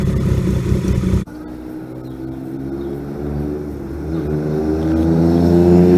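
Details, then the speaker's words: 1978 Yamaha XS750 Special triple after a three-week revival (Delkevic exhaust): a loud blip, then an uneven rattle that climbs with revs; source not yet found, owner plans to track it down. "We got a little rattle. We're going to find that rattle. Fix that."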